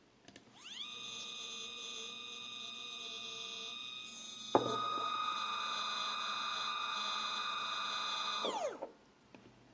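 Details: 3D printer Z-axis stepper motor on a Duet board, single motor at 2 A, acceleration 120, feed rate raised to 2000-3000, phone on desk; high whine with uneven roughness and sudden tone jump, irregular vibration after a stall crash, cause not yet found.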